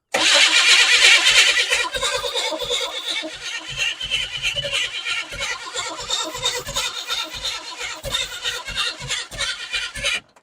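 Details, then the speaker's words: Abandoned 1988 Chevy S10 Blazer running on priming fuel only, with the fuel line not yet hooked up and the throttle opened slightly: the engine barks to life, then stumbles and pops in ragged bursts before dying. Sputtering start. "I mean sounds like it wants to go let's just adjust this just a tick more here we'll go right there [Music] that's what it needs you hear it starting to bark off"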